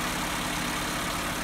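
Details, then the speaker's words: Car with electronic idle valve, no fault codes on OBD scan; idle holds fast and steady with a raised hum, no misses. Idle too high. "Bu şu Ardan abone ol ve herhangi bir hata kodu da gözükmüyor Fakat rolantisiz çok yüksek gördüğünüz gibi bu tekrardan gelelim"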